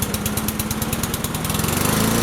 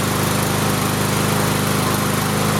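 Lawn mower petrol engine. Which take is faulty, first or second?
first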